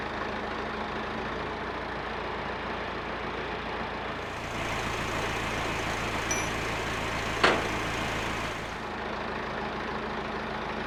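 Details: Massey Ferguson 50HX backhoe loader, 4-cylinder Perkins diesel, hydraulic pump newly reconnected to the engine: steady drone rising briefly as the hydraulics take load, then settling smoothly; engine and pump work normally despite leaking arm cylinders.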